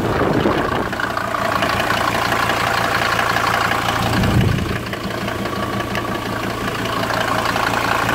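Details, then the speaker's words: 1991 Ford Explorer turbo diesel, cold start after sitting since July 2016, pump primed, battery charged, windy outdoors: steady even clatter settling into smooth idle, no misses or knocks; later found diesel leaking from several injector return lines. "Runs perfect, no problems...."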